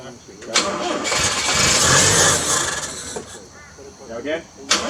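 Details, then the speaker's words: 1983 Toyota Hilux 18R engine first start after timing chain replacement, freshly refilled with oil and coolant; cranks briefly, catches and settles to an even steady idle with no knocks or rattles; runs smooth. "so after 3 days of wrenching on this thing we've gone to pretty much complete now she runs smooth everything's in there so yeah can't be happier than that"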